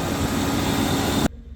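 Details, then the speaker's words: BMW E38 750iL V12, a moldy former parts car, running after its fuel delivery was sorted: smooth, even running with a steady rushing note and no knocks or misses before it cuts off; sounds healthy. "yeah runs really good sounds better than one I just got at"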